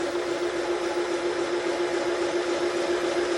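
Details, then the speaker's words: Milling a Type 4 engine case for big-bore cylinders in aluminum, 0.006 in per revolution power down feed with lubricant: steady hiss of a smooth cut over low churning from the cast iron back-gear reduction, no chatter. "you'll hear a hissing from right here that's the sound of the cutter that's making a really nice smooth cut right now and then you'll hear the the churning that's the bull gear in the back gear there's a big cast iron gear in there for a gear reduction you're hearing gear noise"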